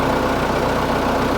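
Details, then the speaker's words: Case 1845 skid steer diesel, first start after reinstalling the hydraulic pumps: even idle with a steady low throb and no whine from the hydraulics; pump sounds healthy, though the axles still creep so neutral needs adjusting. "throttle back push the button sounds all right so far i don't hear any lining"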